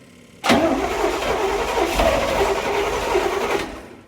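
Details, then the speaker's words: 1979 Corvette C3, L82 V8, 4-speed manual, sat 20 years, first start on starting fluid and 20-year-old gas, transmission fluid in cylinders: cranks, catches abruptly, ragged uneven roar three seconds then dies, heavy smoke; carburetor rebuild expected to help. "doubt the 20-year-old gas is gonna help."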